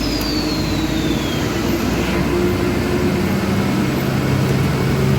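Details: Honda Beat Deluxe fuel-injected scooter, throttle untouched and throttle cable normal: steady, fairly high hum that stays up at idle; idle speed too high, throttle body, ISC and TPS being inspected.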